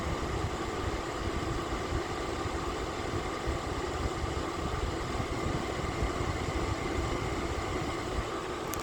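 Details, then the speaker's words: Lasko electric fan heater, low 750 W / high 1500 W, a click heard when switching settings, now on high 1500 W with heating coils at bottom blowing hot air; steady even rush with faint constant hum, no rattles: normal operation. "So when you turn it back, that's burning on 750 watts when you hear that clicking. And then when you hear it clicking again, so now we're burning 1500 watts."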